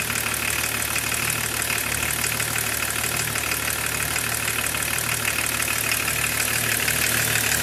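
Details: BMW E36 325td diesel at idle: steady idle with a fast, fairly even ticking clatter of about three per second; source not identified; engine noise at idle.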